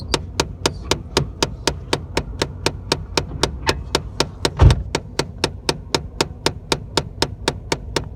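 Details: Chevy Cavalier: sharp, even clicks about four per second over a low engine rumble, traced to a box; cause not identified; clicking noise.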